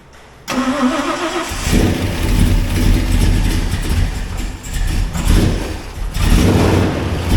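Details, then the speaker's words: 1977 Ford Highboy after a 460 Ford V8 transplant, first startup in neutral: it cranks and catches right away, takes a couple of throttle blips, then settles into a deep, steady idle with no misses once the mapping sorts itself out. Normal start and idle. "what do you think huh sounds good yeah yeah it did take a little while to figure itself out the mapping"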